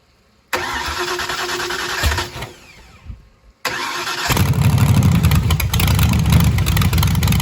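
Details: Cobra freshly built engine, second start during cam break-in, run outside with laptop connected: brief crank, catch and stall, then second crank fires into deep steady lumpy idle; normal start.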